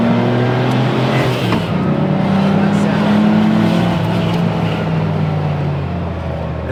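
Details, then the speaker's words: Prerunner engine driving loaded with five people aboard: smooth, even note climbing and holding under full load, no misses or knocks, possibly slightly lean; running healthy. "oh that sounds good there's no hole in the [Music] head that sounds amazing it's crazy how good they run when they run right"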